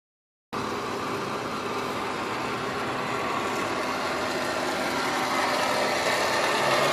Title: C-class wont start making blower motor noise